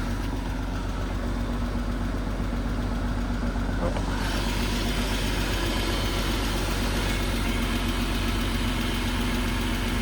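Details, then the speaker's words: Peugeot 106 GTi track-car build, cold start after sitting: steady idle with light regular top-end tick, owner suspects oil drained to the bottom; after warming and oil check, ticking disappears. "from the engine, but that's just because all the oil is probably at the bottom. So, I'll have it warm up for a second."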